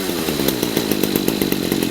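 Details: Redmax GZ25N two-stroke trimmer after a replacement Walbro WYA-75A carburetor and a kit CMR6H spark plug, fixing a no-start: steady high buzz with even firing and no misses; running healthy.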